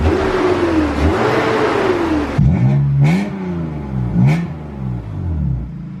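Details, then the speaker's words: BMW E36 328i just started after fitting a full stock exhaust with cats, free revs: thin whine rising and falling with engine speed from somewhere in the engine bay, origin unknown. "let's give it a little rev but i do now hear that something in the engine bay makes an annoying wine sound i'm not sure what that is"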